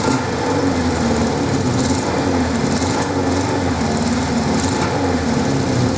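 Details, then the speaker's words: 1979 Suzuki GS550E four-cylinder, first start after about 5 years laid up on old fuel: even fast idle with a faint exhaust pop every second or so. Carbs not blocked, but it is slightly popping and could do with a tune-up. "It is slightly popping a little bit, and it could probably do with a bit of tune-up."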